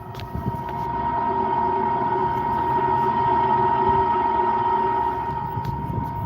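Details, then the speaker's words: Rooftop vent connected to the sewer drainage, heard during an HVAC maintenance call, with a smell noticed on the roof. A steady, fairly pure tone near 1 kHz drones over the rooftop air noise; the cause is unknown. "why would they have a uh I guess that's a vent I don't know what that is making that noise why would they have uh a vent or exhaust connected to the Sewer drainage"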